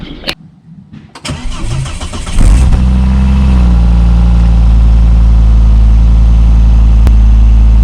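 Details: 2002 Volvo V70 2.4 after centre and rear exhaust box replacement: cranks briefly, catches cleanly, then settles into a smooth, even, deep idle with no rattles or puffing; healthy exhaust, car then passed its MOT.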